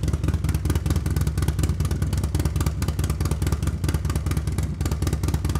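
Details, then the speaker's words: New S&S 136-inch crate engine with 550 cam in a Harley-Davidson Milwaukee-Eight, first start after priming, warming up: deep, lumpy V-twin beat with even firing pulses at fast idle, no knock; normal idle, may need fine tuning. "it seems to run good probably needs a little fine tuning uh but it sounds healthy sounds like going to make some power"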